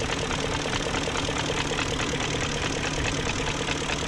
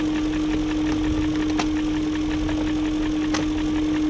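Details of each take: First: 2001 BMW E38 740i Sport V8 after new timing chain tensioner, timing chain guides, gaskets, seals and O-rings: smooth, even idle with light regular injector ticking and no exhaust smoke, a healthy-sounding engine. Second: 2001 BMW E38 740i at idle after new timing chain, tensioner and guides: light uneven top-end tick over steady hum persists; no codes; owner suspects VANOS unit, cause unconfirmed.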